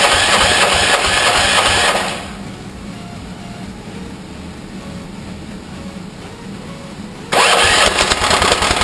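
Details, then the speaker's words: 13hp engine on an off-road go-kart, first start after sitting 6–7 years, with the carburetor leaking: loud rough firing bursts with a fairly regular knock about three per second at start-up, then it drops away. Cause unknown. "But yeah, I don't know what the knocking is. We're gonna try to start it up here in a minute and see what happens."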